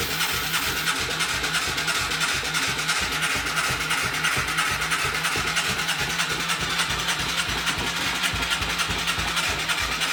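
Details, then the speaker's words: Moto 4 quad cranked: quick, light, even chugging at about three a second with no firm resistance. It fired briefly, then lost compression once the oil burned off the rings; it needs new piston rings. "No good. Compression's too light. You could hear it in the exhaust."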